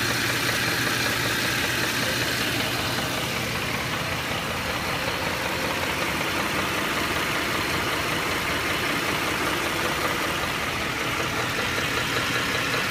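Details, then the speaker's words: Ford 5.4L 3-valve V8 at hot idle: light, uneven ticking knock, loudest near the torque converter area but not converter knock; cam phaser knock. "it sounds the worst in this area right here by a torque converter and you may think it's Tor converter knock but it's not"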